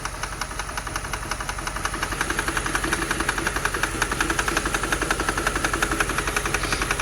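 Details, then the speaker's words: 2006/2007 Mercedes CLS 500 just started after a fuel pump issue shows an even knock near three beats a second over a shaking, lumpy idle; misfire never clears, cause still unknown. "look at my hand shaking look at everything shaky that's a bad miss part there's something else going on here that's not good"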